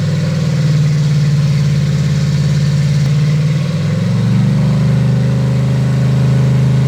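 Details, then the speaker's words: Freshly built Chevy 350 V8 on its first run, idle set to 800 rpm, ethanol-free fuel; steady, even low rumble at idle with a slight settle, no knocks or ticks; normal healthy idle. "probably sounds good. Yeah, I think motor itself sounds fine."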